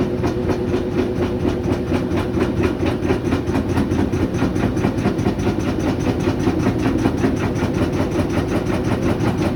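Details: GE GUD27ESSM1WW stacked washer/dryer, spin cycle with empty drum: fast steady knocking about five hits a second, repeating evenly as the drum turns; something banging, cause unknown.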